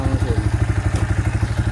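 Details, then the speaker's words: Yamaha Vixion motorcycle engine idling, rider reports rough engine sound; oil checked normal, not consumed. Coarse, clattery thumps about seven per second; mechanic says block and piston need replacing, rough engine noise. "jadi yang perlu kita ganti apanya itu kalau suara kasar kalau bagian suara mesinnya kasar kali yang perlu diganti adalah blok sama peston blok sama peston"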